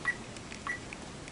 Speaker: and you can hear the beeping of the reader and you'll notice that if we read here it's not going to be because this is the file that we're looking for